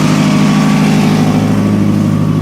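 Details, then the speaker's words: 2000 Toyota Camry after misfire repair, just warmed up, holds a strong, even low idle drone with a raspy exhaust note from a suspected rotted flex pipe but no stumbles or skips; misfire fixed. "obviously you hear the exhaust because of that but not a single misfire just plain rice cake farts plain old rice cake parts yep so doing well"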